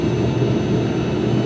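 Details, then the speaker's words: New Eberspacher diesel heater on a narrowboat running after the system was bled of a suspected air lock that had made it keep cutting out: steady, low, even roar, no cutting out; normal running. "Okay, if you can hear me, got it running. So it started up earlier, but it just kept cutting out. I think I had an air leak, an air lock."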